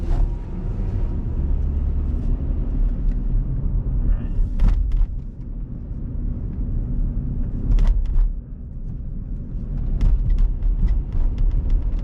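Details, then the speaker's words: 2011 Mazda CX-7 on its first drive after a used-engine install: a deep, even engine rumble at light-load cruise with some road bumps and no knocks, ticks or whines; running normally, apart from noisy brakes. "all right so we we're sounding pretty good so far we're just cruising no weird things happening other than a terrible brake sound"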